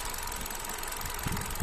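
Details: Hyundai Accent (Kappa engine) at idle: low rumble that stumbles with uneven dull thumps, a rough idle pointing to a misfire; cause suspected, not confirmed.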